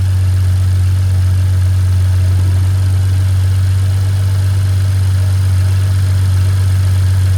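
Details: BMW F30 inline engine at about 100k miles, just after DIY oil change: steady even low hum at idle, no knocks, ticks or hunting; running smoothly, normal idle.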